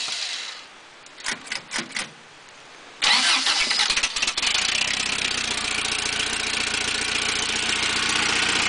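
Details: 1986 Toyota 22R carbureted four-cylinder, sat two days in cold and rain, belt-driving a water pump with new open dual exhaust: a few cranking bursts, catches around three seconds, steady even idle; healthy cold start (owner suspects head gasket, water in oil).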